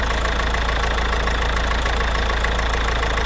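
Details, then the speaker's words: Citroën C4 1.6 HDi diesel idling with a knocking, slightly uneven beat: intermittent injector fault from injector connector pins loosened over time. Fix is tightening the pins and treating them with contact cleaner. "C'est juste en fait les contacts qui se desserrent avec le temps, les petits pins."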